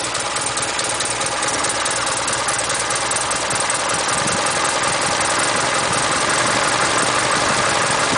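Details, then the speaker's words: Ford Pinto engine with heavy vibration fault, distributor just twisted so ignition timing out: rough, lumpy uneven tickover instead of usual smoother idle; rough idle from incorrect ignition timing. "i know i've just because i've just twisted the timing out it's not it's normally sweeter than this but well we can call it sweet that is and let's just bring that back"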